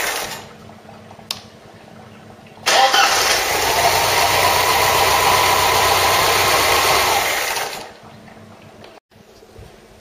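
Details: Ford Cortina Mk3 with a newly rebuilt 2.0 Pinto engine, first test start: the engine catches and settles into a steady, even run with no knocks or rattles; a healthy start and idle.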